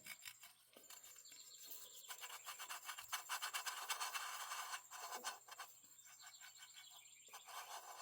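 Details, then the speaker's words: Stihl MS441 chainsaw bottom end, crank turned slowly by hand: dry gritty scraping with hard spots; main bearing badly worn though not spun, crank itself good. "You hear that scraping noise? Okay, this bearing's not spun yet, but I can feel it's got some hard spots in it."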